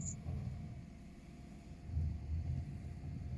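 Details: Bestway swimming pool filter pump just switched on after hookup and air purge, water in on B side and out of A: low even rumble, no knocking, squeal or rattle; running normally.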